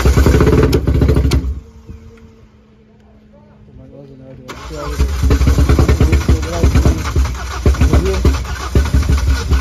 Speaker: so note this how the car only starts after you've built up enough fuel pressure so what happens is the fuel regulator shows us that the car bolts up it's six it's the necessary six bar pressure and then as soon as you start the car it will idle for a few seconds and then it loses the fuel